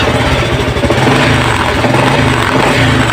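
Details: Honda XRM 125 fuel-injected motorcycle idling with a loud rough beat and dull knocking under the engine, present in every gear first to fourth; knock traced to a worn, wobbling transmission bearing, engine overhauled.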